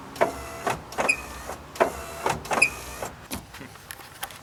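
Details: 1990-1997 Mazda Miata MX5 pop-up headlights cycling: short high squeaks about once a second, persisting after lubricating the linkage; traced to aftermarket aluminum ballast attached under the headlamp door, fixed by lubricating that corner.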